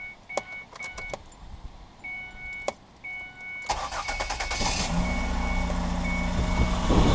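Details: 2005 Ford Escape after fuel filter install, pump primed by cycling key: fuel pump clicks and door chime, brief crank, catches quickly into steady even idle; healthy start, no leak, warning light off.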